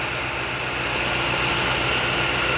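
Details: Chevrolet Agile after timing belt adjustment, with new coil, plug wires and spark plugs: steady, even idle with no stumbles or dropouts, misfire gone; normal idle.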